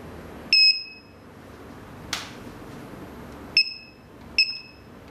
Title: Alarm System Beeping Sound?